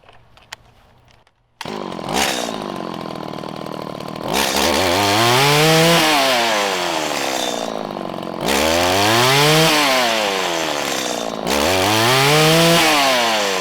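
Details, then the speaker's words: 1997 Stihl Pro FS two-stroke trimmer after enriching the low-side screw about a sixteenth of a turn: it snaps cleanly from idle to full revs and back, with a quick ramp-up; the high-side setting is still okay. "i enriched it about a sixteenth of a turn and we returned back to a nice quick ramp up off throttle"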